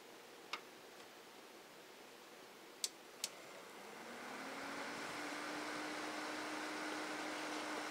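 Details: Stock CPU cooler fan in a Cooler Master Elite 120 case, before planned Corsair H60 liquid cooler swap: a few clicks, then the fan spins up to a steady airy whoosh with low hum near 280 Hz, slight fridge buzz nearby; loud CPU fan.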